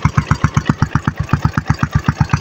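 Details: Yamaha Sniper 135 single-cylinder after brake-light repairs: crisp, evenly spaced exhaust pulses, about seven or eight a second, with no misses or knocks; healthy idle.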